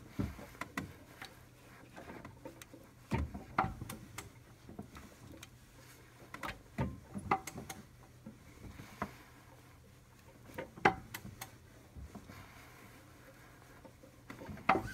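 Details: 2007 Audi A6 Allroad 3.2 FSI (BKH) hand-cranked one full revolution after a new upper bank 2 timing chain tensioner, with cam locks and crank pin checked; three sharp loud clicks as the tensioner piston releases chain tension, amid quieter ratcheting; owner unsure if normal.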